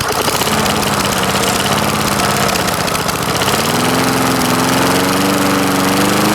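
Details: Lawn-Boy S21ZPN mower with swapped-in mid-1980s Tecumseh engine, cold start at about half throttle after one prime: settles into an even, steady drone, pitch rising smoothly as it warms; healthy running.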